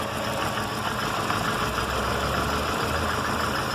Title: Barulho na Zafira